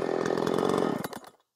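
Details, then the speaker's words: Makita 5600 (Dolmar-built) chainsaw at full throttle, tuned slightly rich at about 13,200 rpm (spec said 13,800, seems rev-limited): steady high scream for about a second then clean drop-off; running normally. "I could probably Crank It Up more but I don't want to I don't want to run I'd rather it run a little bit fat so 13-2 I think is probably good"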